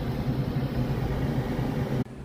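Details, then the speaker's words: Gas furnace with a newly replaced inducer motor assembly after the old one failed: steady low hum running smoothly without rattle or scraping, then cutting off. "here's the new motor and make sure you have a gasket or you can make one with some high temp RTV silicone red to White oh that's nice nice that sounds much more"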